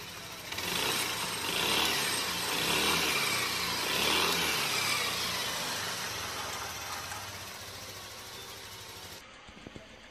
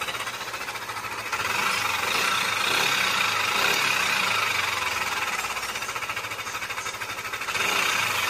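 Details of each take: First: Yamaha Aerox 155 VVA after replacing the camshaft with bearing and setting valve clearances to 0.10 intake and 0.15 exhaust: even, steady engine note with no knocking or ticking, then shut off; runs smooth, normal engine running. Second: Yamaha Aerox 155 VVA scooter engine before repair: harsh, rattly clatter and metallic top-end noise over a fast steady idle, most likely caused by a worn camshaft bearing.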